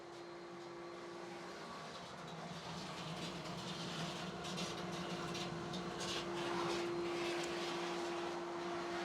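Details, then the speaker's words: Spa jets on high on a newly installed pool and spa equipment system: steady pump hum under sputtering, gurgling hiss with irregular slurps; jets sucking air because the water level is low, at the jet height. "That noise is because my water levels a little low. So the jets right now are just just at the water level."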